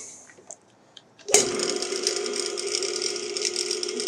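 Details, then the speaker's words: Rebuilt Dayton single-phase lathe motor with new bearings and start capacitor, run forward: sharp click (pop) of the centrifugal start switch as it switches on, then a steady even hum with a faint high whir; it starts cleanly and runs smoothly. "pretty nice pop right there on the what's it called the uh the start uh Cal typical clutch"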